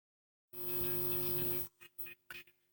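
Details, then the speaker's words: Cheap amplifier board driving speakers, after swapping speaker cables and resoldering: harsh buzzing drone with hum and crackly bursts, only very faint music from one speaker; distortion, cable or whole amp suspected. "I don't know if you can hear that just over the Distortion the buzzing there's a very faint bit of music coming out of again only just this speaker"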